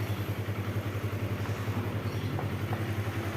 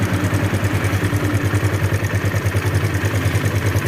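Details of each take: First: Kawasaki KLX 150 at idle after repairing a rough, noisy engine (blamed on late oil change) without replacing parts; steady even low beat about three and a half pulses a second, no cracking or ticking; normal smooth idle. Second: Near-new Kawasaki KLX 150 idling rough with quick metallic clatter on every firing pulse, about three per second; cam chain and valve adjustment to be checked.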